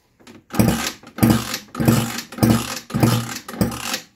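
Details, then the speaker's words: Scooter with a new cheap cylinder after a seizure, no exhaust manifold so loud, electric starter: about six loud, uneven chuffs in four seconds with little resistance; compression measured about 4 bar, poor for a new cylinder. "weiter denkt warum es so laut dass das liegt daran weil wir kein krümmer haben und die kompression liegt jetzt hier bei ziemlich genau vier bar was für einen neuen was für einen neuen zylinder ziemlich schlechtes"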